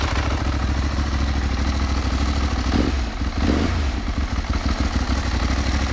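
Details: Ducati 1198S V-twin after AELLA anti-rotation clutch slave cylinder and push rod fitted to cure an oil leak: lumpy idle with usual dry-clutch rattle, a couple of small blips, steady and even; normal idle.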